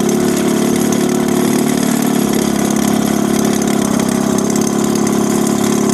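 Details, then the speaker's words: A 1965 Evinrude 3 hp outboard in a water barrel test, just started after new gaskets and spark plugs and after debris was cleared from the water tube and fins. It holds an even, steady idle putter at constant pitch with no skips or rattles, running normally. "I'll show you the water that's coming out of there put the thermometer on there and see how she runs starter up all right running good"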